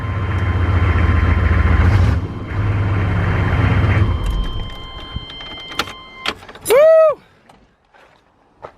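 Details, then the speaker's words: 1995 K2500 Suburban 6.5 L Detroit diesel, cold start after turbo system reassembly in rebuild: even low rumble for about four seconds then shutoff, clicks and door; running normally. "Alright, so now that I'm in full homeless mode, the truck is back up and running. I couldn't be happier."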